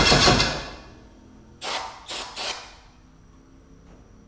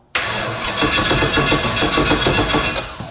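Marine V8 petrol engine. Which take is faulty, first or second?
second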